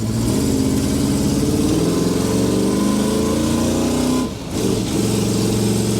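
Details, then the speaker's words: 1970 Chevrolet Blazer at its first drive after being abandoned, likely Turbo 350 automatic shifting well; strong, even V8 rumble pulling smoothly with no knocks or misses; brakes work but the booster seems weak. "good she running good so far so good"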